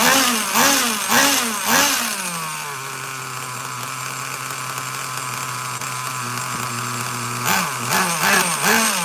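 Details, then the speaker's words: Traxxas Nitro Slash nitro engine on the bench with a new glow plug, slow on grass: revs rise and fall in bursts, settle to a shaky high idle, then surge again; sounds bad, owner suspects rich running, before resetting the carb needles to factory settings. "All right, that thing sounds uh shitty. Shot [ __ ] everywhere. Holy god. Think we have a rich problem for sure."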